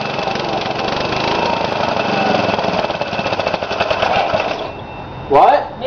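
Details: Briggs & Stratton engine on its first run after a rebuild with new piston rings and gaskets. It screams at a high, steady speed for about five seconds, then shuts off, because the governor was adjusted wrong; after adjusting it ran almost perfect. Overspeed from misadjusted governor.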